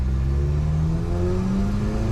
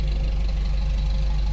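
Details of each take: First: Toyota truck, 185,000 miles, very tall gearing (about 32 mph in first) with big tires, after exhaust leak repair and head torque; steady engine drone pulling in low gear, pitch climbing smoothly, no puffing or ticking — exhaust leak gone, normal exhaust note. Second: Toyota truck with brand-new engine and new clutch, idling: steady low idle with fast, even light valve ticking on top; the valves can be heard rattling even though it's new — valve train ticking, cause not confirmed.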